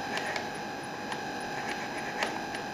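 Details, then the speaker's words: Turnigy SK450 quadcopter, brushless motor on stock Multistar ESC firmware, bench test at low throttle: steady whine broken by intermittent sharp clicks as the motor stutters; fix is reflashing the ESCs. "get it to low speed see if I can get it makes this clicking noise and then"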